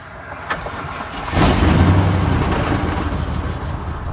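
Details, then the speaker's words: 1999 GMC tow truck (rollback), about 198,446 miles, gauge reading half a tank, first start after purchase: short crank, engine catches with deep rumble, runs a few seconds sagging and dies; cause suspected, not confirmed. "nope and it died how do you tow a tow truck"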